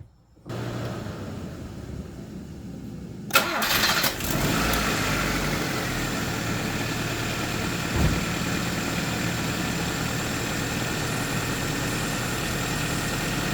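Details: Honda Civic just after radiator replacement (old radiator missing fins, car had overheated) and coolant refill: starter cranks briefly, engine catches at once and settles into a steady even idle, no misses.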